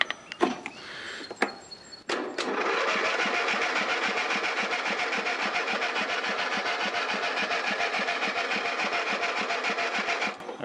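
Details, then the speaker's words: Old Husky mower that sat and won't start, bad gas suspected: starter drags the engine slowly, about two and a half turns a second, never fires; slow cranking from a weak battery that needs charging. "the battery battery's kind of weak so we'll have to get that on the charger"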